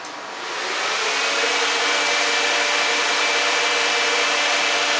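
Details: Dodge Dakota electric radiator cooling fan after fixing a loose ground connection: spins up within a second to a strong steady airy rush with faint constant hum, no rattle or surging; running properly.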